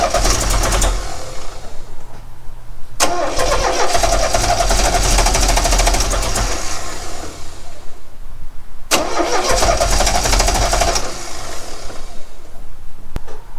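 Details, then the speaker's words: 1969 Renault 16 petrol, not run in years, external fuel supply, starting spray, original HT lead refitted: cranking with uneven occasional firing bursts that never run; owner suspects maybe one cylinder firing, considers new plugs and HT leads. "I don't know if that makes any difference. It seems to be firing on maybe one cylinder."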